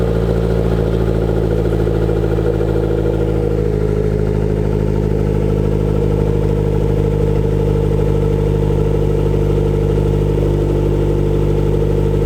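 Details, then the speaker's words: B20 VTEC turbo Honda DA9 first start after new exhaust work: it catches and settles into a smooth, even idle with a steady low exhaust note and no knocks or rattles, sounding healthy. "Sounds good to me."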